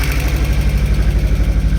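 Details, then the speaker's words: VW Golf Mk1 project car, first start after repairs: steady petrol idle with an even, quick beat sitting a bit above normal; idling high. "Okay, it's starting. Idling a bit high, but everything seems to be fine."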